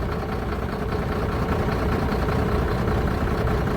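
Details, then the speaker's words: Mercedes truck diesel at idle during a scan-tool cylinder cut-out test; uneven, lumpy, slightly irregular beat with no change whatsoever when cylinder 4 is cut. Cylinder 4 is definitely faulty; dead-cylinder misfire. "So So that's cylinder number four cut out and it's no change whatsoever. Back on again. And that's it. So number four is definitely faulty."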